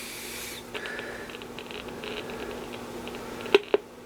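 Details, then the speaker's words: B&K E200D RF signal generator: faint hiss under a low steady tone with sharp static crash pops from the speaker, from a fault in the audio section. "you hear a little static like little static crash pops in the speaker so there's something in the audio section that is"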